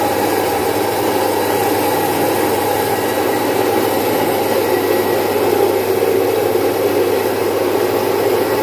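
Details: Domestic stone flour mill, single-phase 1 HP, splitting about 4.5–5 kg of moong into dal in three to four minutes. The motor hums steadily with a constant whirring rush of grain through the stones, no knocks or scraping; normal operation.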